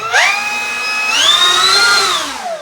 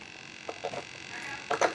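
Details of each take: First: E-flite P-51D Mustang 1.2 m RC plane, electric motor and prop run-up before setting reverse thrust: clean whine rising quickly, holding a steady high pitch, then winding down smoothly, no rattle or wobble; motor and prop healthy and well balanced. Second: E-flite P-51D Mustang 1.2m RC plane with AS3X: faint steady high-pitched hum with brief whirring bursts from a servo humming at mid-throw, which trimming likely cannot fix.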